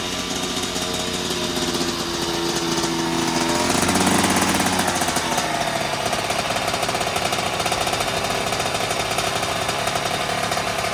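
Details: 2009 Kawasaki KX85 two-stroke after carb clean, fresh fuel and new jets, choke on: ragged fast idle surging around four seconds and staying high; lean mixture from undersized pilot jet, possible air leak suspected, another jet change planned.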